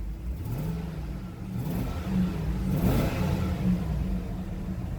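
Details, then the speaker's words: Cold Vortec 6000 6.0L V8, revved with the fan turned down. Deep rumble rises and falls smoothly over several blips with no knocks or rattles; oil pressure and voltage good, healthy. "go ahead and turn the fan down here a little bit so you guys can hear me rev it up"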